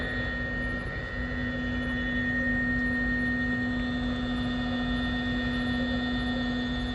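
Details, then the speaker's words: Creality CR-10 S5 3D printer after power supply swap (had stopped mid-print with no power): steady fan whir, constant hum, faint high tone, no rattles; fan quieter than before, normal running. "and that fan's not making as much noise as it was before"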